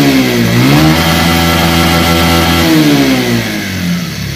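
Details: Old second-hand Bajaj Pulsar single-cylinder, whose sound changed and turned rattly once hot: revs rise and fall with a dry metallic clatter over the exhaust. The cause is a worn cylinder and crank weight bearing, despite earlier valve, timing chain and balancer replacement; fixed with a new cylinder.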